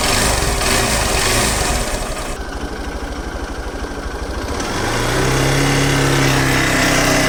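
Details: Hero XPulse 200 / Xtreme 200R single-cylinder 2-valve engine idling with an even, steady thump and no clear valve ticking after tappet clearance adjustment, under background music.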